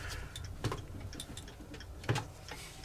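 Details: Elliott carved tall chime clock movement during restoration assembly, on the bench: crisp, normal tick-tock escapement beats with maintaining power engaged.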